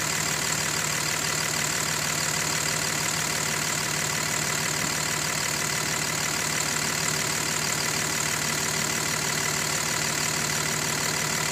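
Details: 2005 Dodge Ram Cummins 5.9 diesel idling steadily with a faint regular tick about three per second over the clatter; owner unsure of cause, loudest when cold and fading somewhat once fully warmed up.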